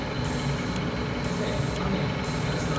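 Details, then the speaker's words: Cummins diesel troubleshooting fault codes 4658, 5868 and 3568, DEF doser test into a container: a steady mechanical hum with faint rhythmic clicking. It dosed about 100 ml in 3 min 20 s, so the doser is operating normally. "is dosing. It looks like it's dosing well. You hear it running, and it's filling up our container here."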